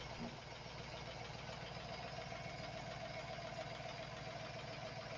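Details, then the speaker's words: 4.8-liter V8 at idle, just started: light quick tapping three to four per second, worsens when warm; oil pressure light comes on at warm idle, goes off at 2000 rpm. "and that engine tapping noise doesn't sound so bad at the moment but as the vehicle warms up it gets worse"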